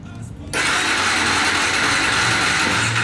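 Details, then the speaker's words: New Bajaj Dominar 400: the fuel pump primes, then the starter whirs steadily for almost three seconds with no firing. It cranks but won't start; spark is later confirmed present. "puede escuchar solamente la marcha pero no logra arrancar"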